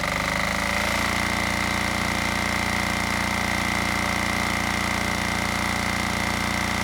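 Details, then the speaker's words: Generac XD5000e generator, Yanmar L100 diesel, during test run: after brief settling, loud even diesel clatter at steady rate, no surging or misses; running healthy. "You know, if I remember right, the last diesel I tested, you know, despite the microphone pointing at me, it was still overwhelmed with the amount of sound."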